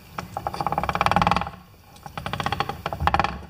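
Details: MTD lawn tractor differential, shafts turned by hand: two quick rhythmic clicking crunches, about a second each, as the worn section rolls past; damaged, rounded-off gear teeth.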